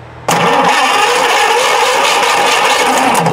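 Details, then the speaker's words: Tera jet engine cranks with a rattling whir but never fires; no spark found, owner suspects the ignition coil. "Huh, do I need a coil? It don't sound like I have any spark."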